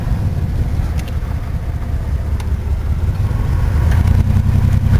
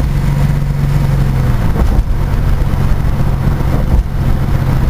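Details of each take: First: Chevrolet S10 Blazer 4x4 V6, oil changed a couple times, good oil pressure, exhaust needing work: steady deep even rumble, no knocks or ticks; runs well, slight transfer case noise from four-wheel drive. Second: Chevrolet S10 Blazer 4x4 V6 with exhaust needing work: deep loud rumbling idle with a few throttle blips, running evenly but noisy exhaust.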